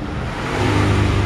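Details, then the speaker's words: Samsung inverter refrigerator, R600a, during refrigerant charging: steady low hum swelling louder as inverter compressor speeds up, amperage rising to pull down temperature; normal high-speed running. "oke sekarang terdengar suara kompresor putarannya sudah mulai kencang dengan ampere ditandai akhirnya naik Hai untuk mengejar suhu karena ini kompresor inverter"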